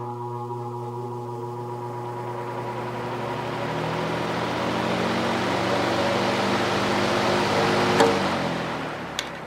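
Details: Patton U2-0018 18-inch three-speed high-velocity fan, blade pitch increased, startup on high: smooth hum climbing in pitch, no scraping or knocking; motor within spec, runs quieter; normal startup.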